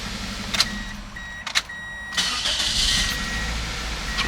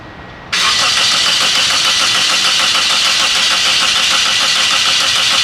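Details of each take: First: 2003 Toyota Corolla 1.8 towed in for crank/no start: after the insurance company's ALDL plug-in adapter was disconnected, warning chimes, then it cranks and catches cleanly into idle; the adapter was found to cause the no start. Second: 2003 Toyota Corolla 1.8, towed in with no-start: about seven seconds of quick, even cranking with good-sounding compression and no hint of firing; no spark was later found, caused by the insurance company's ALDL adapter.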